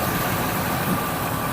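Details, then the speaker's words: Ford F-250 just after new engine installed, first startup: short steady idle around 800 rpm (gauge estimate), even drone, no knocks or ticks; runs smooth and healthy. "And battery gauge is doing good, idling at about 800 or something is a guess."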